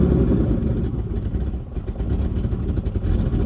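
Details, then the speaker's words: 1984 BMW 633 CSi with half a tank of gas, first start attempt: catches and runs rough and uneven, sagging as if about to die, won't hold a steady idle; engine stalling after start. "So the cable is attached to the gas pedal, to the throttle. She just doesn't want to stay running."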